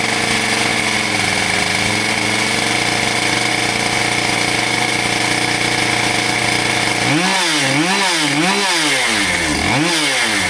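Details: Husqvarna 572XPG AutoTune chainsaw after being run over, with new bar and heated handle replaced; smooth, steady idle, then crisp blips rising and falling cleanly, no stumble; normal running.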